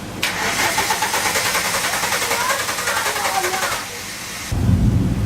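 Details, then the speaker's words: 1985 VW Cabrio off the road 17 years, battery just hooked up: steady fast cranking for about four seconds without a single catch; strong crank, no firing, spark questioned, old spark plugs to be replaced. "I'm questioning spark"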